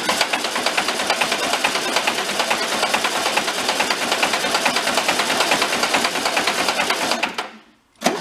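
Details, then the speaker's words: Barn-found circa-1973 VW Karmann Ghia, out of the light about 31 years, cranked on starter: even clack about two per second throughout, likened to rod knock; cause suspected, not confirmed. "so a little bit like a rod knock huh let it spin for a little bit"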